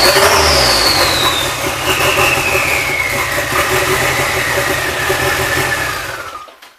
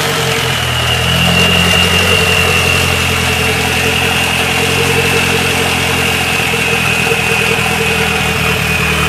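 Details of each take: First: Nissan Sentra with GA16DET turbo engine, first start after head gasket replacement: catches and runs fairly evenly with a falling rev sweep before shutting off, no knocking; ran decently for a few seconds, timing seemed on point. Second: Nissan Sentra GA16DET turbo four-cylinder after a head gasket replacement, warm after driving and not overheating: idle with a slight uneven shake in the beat and a faint whistle on top; idles rougher than it should.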